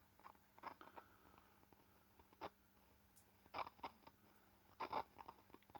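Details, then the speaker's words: Marshall valve amp, powered on and warmed up, idling: constant irregular crunchy crackles and pops over a faint low hum; nothing visibly wrong, cause unknown. "It makes that noise constantly. It's noisy something."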